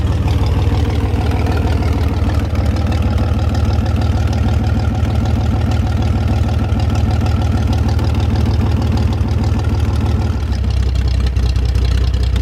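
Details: 1973 GMC 432ci V6 with five-speed Spicer, pulled from a parted-out truck in 2019 and unstarted for almost five years: deep, steady, even idle with no knocks or misses. Slight startup smoke cleared once warm. Normal idle.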